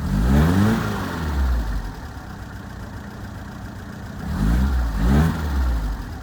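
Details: 1978 FIAT 124 Spider: two sharp revs dropping back to a low, uneven idle that lopes irregularly; rough idle, cause not yet found.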